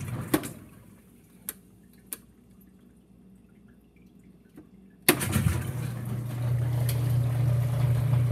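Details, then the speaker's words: Whirlpool WTW5300SQ0 top-load washer after a new timer was fitted, set to drain; a few quiet drips, then the pump kicks in with an even low hum building steadily as water drains; normal drain and spin. "and it is draining right now you can see the water getting emptied"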